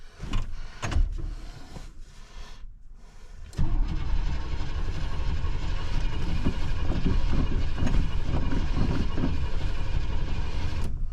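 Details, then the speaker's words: 1998 Chevy 1500 4x4 with junkyard engine, temporary battery hooked up: starter churns the engine over for several seconds without firing, fuel pump heard priming; owner unsure whether it is getting fuel; crank no start. "well the key's turning over I don't know if it's getting any fuel though okay so the first crank didn't start I could hear the fuel pump coming on"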